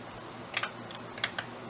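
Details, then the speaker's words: Thrift-store Sylvania DVD/VHS combo playing a DVD: two quick pairs of sharp ticks over a quiet drive, popping and ticking as it tries to focus on the disc; cleaning the DVD section fixed it. "before this thing was if you didn't hear it on camera it was popping and ticking when it was trying to focus on the disc"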